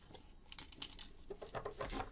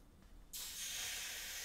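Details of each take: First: Egg boiler that won't power on and has a broken blue wire and switch. Turned upside down near the microphone, it gives light irregular clicks and rattles from a loose part inside the housing. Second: Egg boiler after no-power switch repair: quiet, then sudden strong hiss and steady sizzle as water hits the hot plate; heater is heating properly.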